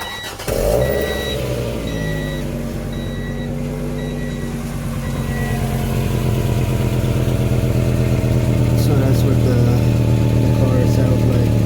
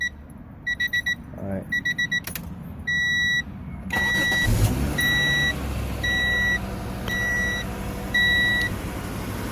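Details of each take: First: 1994 Acura Vigor GS idling before exhaust pipe replacement; starts and settles into a loud, raspy idle with rough low puffing beat; exhaust leak from a hole in the pipe. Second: 1994 Acura Vigor GS after replacing exhaust pipe and muffler, recorded from underneath: after chimes, engine starts and settles to a low quiet idle with no puffing or rasping; exhaust sounds sealed, no holes.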